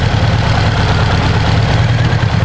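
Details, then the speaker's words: Subaru engine, claimed stock, with turbo, after one hard pull: heavy rough idle with hollow clattering rumble, oil everywhere, hole in the block, broken stock rod visible; broken connecting rod. "I think I lost my rod. You got a flashlight? Ooh, yeah. Where we at, boys? Oh, look at that. There's a hole in the block."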